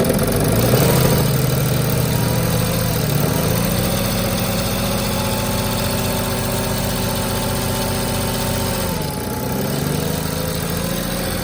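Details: 2007 NCV3 Sprinter, 3.0L OM642 diesel, accessory belt removed, noisiest injectors already swapped. Hard rhythmic idle knock with rattly chatter, three to four per second; owner suspects bell-housing gear chatter or torque converter, an exhaust leak and injector knock.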